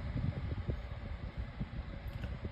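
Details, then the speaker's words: 12-inch Better Homes and Gardens metal table fan on low speed: soft, low, steady hum, no rattle or ticking, very quiet; normal, though it has a bent blade that shakes when oscillating. "very quiet on low actually as you can hear"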